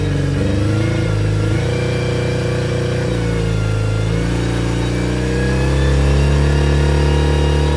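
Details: Yamaha T50TLRD 50 hp outboard after head decking and a new head gasket restored compression, revving up and down with an uneven, stumbling beat; a cylinder is missing.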